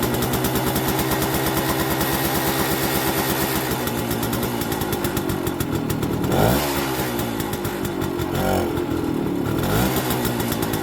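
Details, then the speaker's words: 1969 Suzuki K10P two-stroke after head gasket and ignition work for intermittent running, started outside; crisp, even buzzing idle with a couple of light blips, no knock or rattle; normal idle, though a tinkly noise appeared later on the test route. "Which it did. Sounds good."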